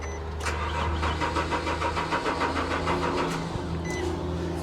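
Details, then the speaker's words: 1982 Chevy Camaro Crossfire-injection V8 salvage car, fuel gauge under empty: even starter cranking about three beats a second with no firing; crank no start, out of fuel. "ain't got no gas in it that's what's wrong with it yeah she's uh under the empty mark but listed as a run and drive"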